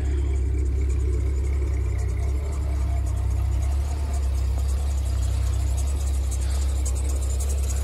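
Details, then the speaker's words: 1992 351W carbureted V8 truck at 27°F, engine still cold after kicking down the fast idle: deep, slow, steady rumble near 500 rpm with no misses or knocks, expected to rise to about 800 when warm; normal cold idle. "and kick it down and it's going to idle low for a little bit well it'll pick up after a little while when it's cold it drops down to about 500 ish"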